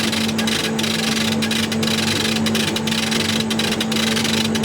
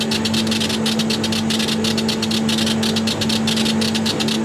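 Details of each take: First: Chinese CO2 glass-tube laser cutter run via RDWorks, glass etching at about 133% power in short pulses, at 200 mm/s: steady low hum with hiss and soft pulses about once a second; tube firing normally, longer hiss back to normal. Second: Chinese CO2 glass-tube laser cutter (RDWorks) etching glass at 200 mm/s with high-impact pre-ionization: loud steady hiss with fast rhythmic fizzing bursts over faint hum from very short pulses.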